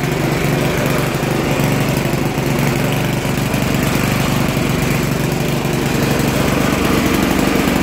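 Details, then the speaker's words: Poulan Pro 800 Series 26" tiller, Briggs & Stratton 105cc, about 12 years old, unused since last fall. A loud, buzzy, slightly lumpy beat of about four pulses a second. Runs a little rough; owner suspects the carb needs cleaning and the choke bounces with vibration. "Gonna need to clean the carb. I think a little bit it's running a little rough, but it is running."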